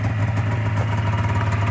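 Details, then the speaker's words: 2000 Polaris 550 Trail RMK two-stroke snowmobile after reed valve work and idle screws set about 4.5 turns out: warm, steady low burble idling at 1,500–1,600 rpm, no hunting or raised revs; normal idle. "All right, guys, so we pulled it out of the shop and it it idled down to 1,500, 1,600, absolutely perfect."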